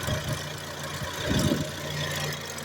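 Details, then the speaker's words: Front left wheel locked at the differential and drive sent to the front right wheel; a steady low hum from the spinning wheel, no knocking. The front right wheel bearing is howling. "I na 100% wyje przednie prawe łożysko."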